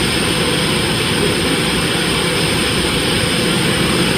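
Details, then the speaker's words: Dodge Dakota 3.7 V6, heavily sludged, cold start right after replacing three collapsed lifters without removing the camshaft: steady high cold idle, hiss from open vacuum lines, previous lifter tick not heard so far. "now this is a cold start it never did have a tickle to cold start so it may still come but so far so dirty all that noisy here is vacuum lines that are open"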